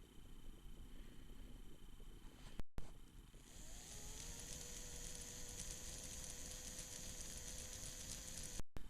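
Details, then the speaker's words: Tyco Spirit of America Ten-Wheeler model locomotive motor test run after partial teardown, cleaning and lubrication, gear grease on uncovered worm gear; spins up to steady, even hum, no grinding or ticking; normal motor run. "that finishes work on the locomotive as far as cleaning and lubricating seems to run fine"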